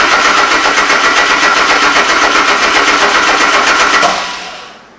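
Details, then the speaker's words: Subaru-engined VW Super Beetle, first start attempt, compression 175 on cylinders 1 and 3: steady starter churning about four beats a second, winds down, never fires; plugs wet with fuel so injectors seem to be firing, crank no-start. "So I just pulled the spark plugs, and it does seem like they have fuel on them, so it seems like the injectors are firing."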